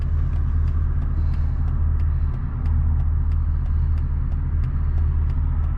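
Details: 1999 Mercedes E55 AMG V8 with 257,000 miles, after fitting a junkyard coil pack: deep, even rumble pulling steadily under acceleration with no stumble or skipped beats, so the misfire is gone for now.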